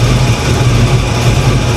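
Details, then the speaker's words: 1987 Chevy Monte Carlo SS V8 (about 480 hp) with a history of bending water pumps, running after the fix and not yet warmed up: deep, even idle with no wobble or knock; the alternator belt flops slightly, and the engine needs more coolant. "well she's running everything looks all right so far definitely need to put a little more coolant in it"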